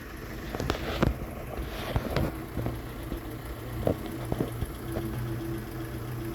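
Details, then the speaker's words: Boat F200 outboard just started, idling in neutral before shifting to reverse: low, even idle with steady hum, no knocking or misses; normal idle (owner reports a bang in reverse under load with more throttle). "idling okay i'm gonna put it in reverse"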